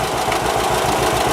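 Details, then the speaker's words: 1946 John Deere AR tractor, warm idle: steady, even light tap on each firing pulse; suspected valve train tapping, owner plans to check valve clearance on a cold engine. "sounds good other than that i can hear like a valve train tapping"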